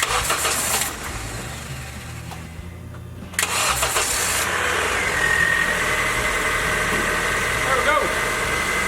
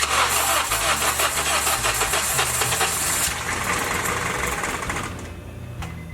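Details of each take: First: Honda Civic, first start after an engine replacement, fuel pressure built by cycling the key: brief crank, then it catches and settles into a steady, even idle with no ticking or puffing, no exhaust leaks despite missing plugs and no air filter; normal idle. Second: Honda Civic first start after engine replacement: steady starter cranking for about five seconds after cycling the key to build fuel pressure, stops without catching; no start yet.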